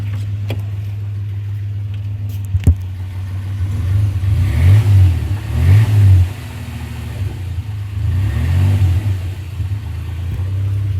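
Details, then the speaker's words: 1995 Suzuki Escudo H20A petrol engine idling low then revved twice: dull knock growing louder and faster with revs; a part already replaced, owners suspect bearing shells but the cause is unconfirmed. "достаешь он еще сильнее у еще сильнее на и начинает стучать почему я не знаю разобраться мы не можем"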